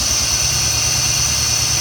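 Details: 2006 Jeep Grand Cherokee Laredo after serpentine belt tensioner replacement: engine idles with a smooth, even low beat and the loud bearing whine is gone; belt drive sounds healthy.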